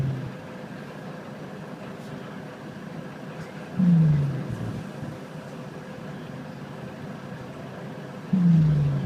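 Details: SBS bus 197, heard from the back of the bus: low drawn-out snoring groans every few seconds, each sliding down in pitch over a steady bus rumble, like someone snoring into a mic; source unknown.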